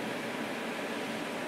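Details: 2003 Frigidaire/Electrolux 5200 BTU window air conditioner, first run after replacing bad fan motor bearings with skateboard bearings: steady, even airy fan rush with no squeal, rattle or grinding.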